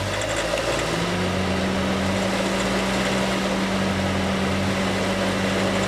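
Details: Honda City EXL 2020, bought new, about 19,000 km, noise began early and grew worse, dealer couldn't locate it and denies warranty: steady idle with a low droning hum that comes in and holds its pitch; cause unconfirmed.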